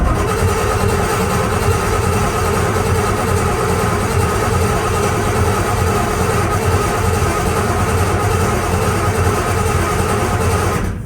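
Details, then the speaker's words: 1981 Chevrolet C1500 Squarebody, freshly refreshed and cammed 350 small block, first start attempt: coil unplugged (no spark) while cranking to prime oil pressure and fuel to carburetor; even, rapid starter churn about ten seconds, no firing; normal cranking. "All right, so we should hopefully when we're cranking this over, well, we know that this thing gets good oil pressure, but we're going to crank it again. Make sure we build up some good oil pressure."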